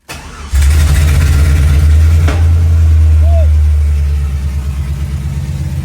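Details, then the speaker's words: Blown-up junkyard 2008 Tahoe 5.3 LS V8 in a 1969 GTO, started to check oil pressure: cranks, catches and roars, then settles into an uneven lumpy beat as revs drop; owner suspects low compression; oil pressure did build. "oh you know it's bad oh no you know it's low on compression when you got to Pump It Like It's carb she's not happy brother she's not happy she's not happy"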